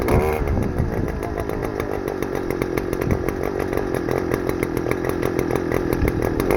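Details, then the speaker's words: Stihl FS-250R two-stroke trimmer after carburetor rebuild kit (hardened diaphragm from long storage with old fuel), cutting wet grass: steady high buzz holding speed, even firing, no bogging or misses; normal running under load. "Yeah, she works good. Hope it just keeps working. No reason why it shouldn't."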